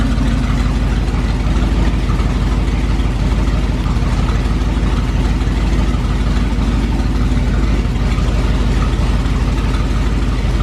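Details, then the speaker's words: 440 big-block from a motorhome in a 1970 Plymouth Duster, exhaust loud, first start after sitting about six months to a year: deep, even idle around three pulses a second, no misses or knocks; runs strong. "running really really good Idols that fired up first try it's been sitting for probably almost a year like six months or something crazy"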